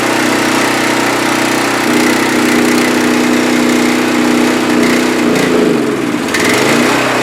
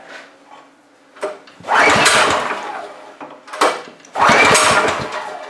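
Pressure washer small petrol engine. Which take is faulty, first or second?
second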